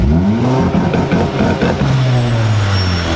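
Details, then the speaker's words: Honda EG hatch with new launch control, revved in neutral with no clutch: engine holds near 4,000 rpm and stutters, popping and burping against the limiter. It is already running very rich and they doubt any boost is building; they think it needs more rpm. "is it even getting any boost it's just burping out of this thing this thing just sounds like it's burping"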